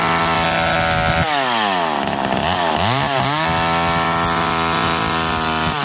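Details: McCulloch Eager Beaver 2.0 chainsaw after rebuild, spark arrestor back on, probably warm, run to burn off old gas: revs up and drops back cleanly, crisp steady buzz tracking the throttle without stumbling; healthy.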